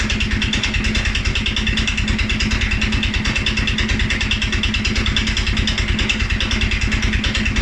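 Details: 2011 Polaris Sportsman 550 XP, EFI: single-cylinder uneven, lumpy idle with irregular beats, running rough and low; stumbles cold on startup and after riding or revving. Dealer found TPS, IAC, TMAP in spec; valves, timing, new plug, 43 psi fuel pressure good; cause unknown.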